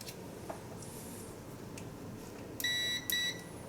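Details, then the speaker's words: Meter check before testing a disconnected heated O2 sensor's heater circuit, POWER PRO meter set to beep on continuity: two short high-pitched beeps in a quiet room, the meter's normal continuity tone. "as you can see there it's making a noise"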